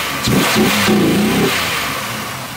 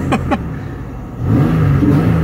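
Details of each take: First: Pontiac Aztek AWD: quick blip rises smoothly and settles, clean and even with no knock or misfire; engine runs well. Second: Pontiac Aztek AWD new project, cold engine, fuel possibly old: blipped with short, uneven rise and fall in pitch, sounds ragged and unhappy; cause unclear.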